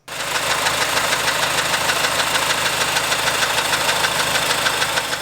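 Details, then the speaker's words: Honda engine, timing chain replaced at just over 200,000 km with an aftermarket kit plus OEM VTC gear, failing after 32,000 km: sharp metallic rattle over the idle about three times a second. "I bought an aftermarket kit with an OEM veetc gear I have a weird noise when it's at idle listen to this"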